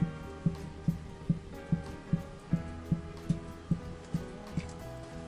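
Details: Land Rover Freelander 2, parked car's body rocked by hand: dull, evenly spaced knocks about twice a second from the worn rear strut top mount; the strut had been replaced earlier but not the mount, which is now being replaced.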